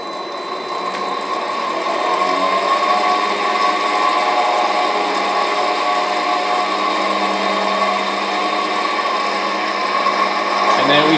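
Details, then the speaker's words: Used Hengli HSA1505 controlled-atmosphere belt furnace, 6-inch belt: belt started, VFD below and drive motor heard starting, then an even, steady motor hum with fine mechanical whir, no knocks or grinding; running smoothly. "So if we wanted to start the belt, press here, and you can hear the VFD down below and the motor start."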